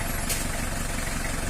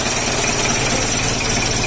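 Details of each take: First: 1990 model-year diesel (L300/Panther) after its final tune-up: even, steady idle clatter with a low, uniform knock rhythm and no hunting or jumps; normal diesel idle. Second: Isuzu Panther 2.3 diesel idling with an uneven, thumping knock instead of an even, consistent clatter, from injection timing mismatched to compression; the aim of the tune-up is a smooth, even diesel sound.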